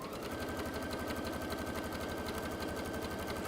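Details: Juki DX sewing machine just back from service, sewing a straight line: even, steady needle clatter at about three stitches a second with a smooth motor hum; running normally.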